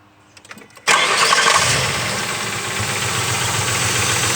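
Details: Ford Crown Victoria after fixing broken tensioner pulley mount nipple on timing cover with M8x1.25 bolt and washers: catches right away, smooth even idle, no chirps, squeals or rattles from the belt side; normal start and idle.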